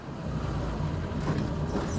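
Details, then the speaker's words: Ford ST170-engined Mk1 Escort four-cylinder idling smoothly after correcting two swapped HT leads that had it running on two cylinders for about 20 miles: steady, even low rumble, no misses. "I hope I haven't done any damage to this engine running it for probably 20 mil with those two HT leads around the wrong way um but yeah she runs sweet now she idles sweet"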